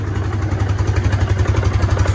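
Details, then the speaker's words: Hisun 550 UTV single cylinder after replacing a clogged fuel injector and adding a 30-micron fuel filter: even, quick thumping idle with no misses, pops or backfire; previously lost power and wouldn't idle. "is this sounding better idling a lot better you heard before it wouldn't even stay up running"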